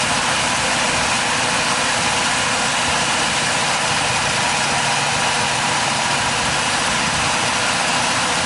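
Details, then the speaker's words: Mazda RX4 rotary idling steadily and evenly after start-up, earlier misfire gone, only the faintest tremble remaining; suspected clogged accelerator pump; smooth idle. "leave it running misfire gone bro"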